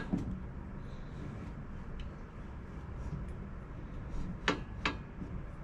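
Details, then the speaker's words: Mega Moto minibike with a 224cc Hemi engine, during a 1.2-ratio roller rocker install, crank turned by hand: a few sharp, isolated clunks over a low rumble through the intake and exhaust strokes. Owner suspects the connecting rod; side cover may need removing. "when I turn the crank listen to the engine there's the exhaust going down hear that here's the exhaust coming up here's the intake going down hear that clunk clunk is that weird what is that"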